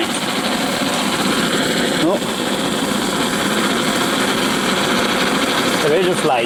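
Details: Antique paraffin blowlamp, newly assembled and tested outdoors: a steady, even rushing roar with no sputter or pulsing, only brief wind gusts; the burner is running properly.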